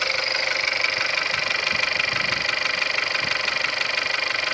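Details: CJZC 1.2 engine at cold start: idle carries a fast, even ticking knock, about three per second, over a steady hum; cause unclear, not confirmed.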